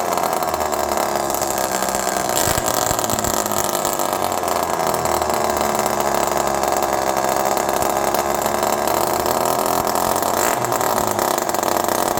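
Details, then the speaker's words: Old Homelite Super Mini two-stroke chainsaw run outdoors in the cold, low jet at 1.5 turns out. It revs high and hangs there, never dropping back to idle; the owner suspects an air leak. "This is a perfect example of a saw that probably has an air leak. Listen to it."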